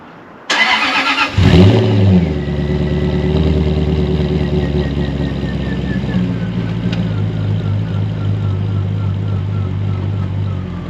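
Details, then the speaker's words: Jaguar XK8 V8, formerly a no-crank, no-start and now showing many error messages. A short crank catches at once, flares and settles into a steady, even V8 idle; it starts and runs, with the battery at 12.8 V. "Well, I've got every error message under the sun, but I really don't care. The thing starts now."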